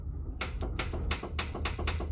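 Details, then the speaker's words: Car after dead battery, battery reconnected: six crisp clicks about every third of a second as trans brake button is pressed; trans brake solenoid engaging properly. "trans brake button you guys can hear that clicking that's good"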